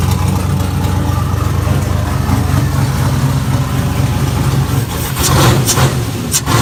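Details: LQ4 V8 swapped into a Fairmont, running on a Holley Terminator X, started after wiring and cooling work; catches and settles into a deep, steady lope at idle, no knocks or ticks, clean healthy normal idle.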